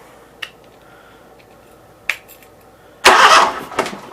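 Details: Briggs & Stratton Vanguard engine bench-wired: fuel solenoid clicks on, two sharp clicks then a brief burst of normal starter cranking from the key switch, engine turning over without firing.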